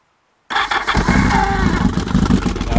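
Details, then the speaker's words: Worn starter motor on a Yamaha XS1100 motorcycle, heard before replacement: slow, labouring, really grumbly gravelly crank that drags and pulls the battery right down instead of spinning crisply. "I'll give you a listen to this starter yeah pulls the count right down it's really really grumbly"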